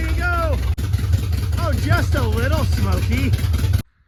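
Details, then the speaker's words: 1977 Dodge Ramcharger 440 big block V8, Street Demon carburetor, first start on open headers with no exhaust: barks hard, lumpy and loud at idle with a few blips, no knocks; runs fine, just unmuffled. "It's either internal combustion or external combustion. Either way, it's probably gonna be loud."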